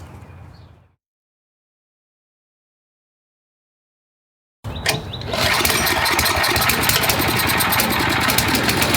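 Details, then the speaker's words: YardMan snowblower small engine test-run after an auger belt fix. After a gap it fires and settles into a fast, busy run. Speed is set a bit too high, needs throttle pulled back, and it runs slightly stumbly; idle circuit may need checking. "It's running a little too high, so we're going to pull a little throttle out of it because that's just a bit too high. And it's a little stumbly, so you might want to check the idle circuit."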